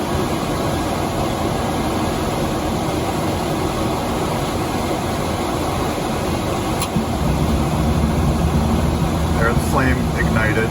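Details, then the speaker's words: Dometic furnace in a Fuzion 429 5th wheel, with the sail switch manually held closed by hand: blower rush, then a soft whoomp near seven seconds as the flame ignites and the roar deepens, and it keeps running. "I'm going to push on the sail switch the same way the fan would. I'm going to hold it. We're going to hear the flame ignite."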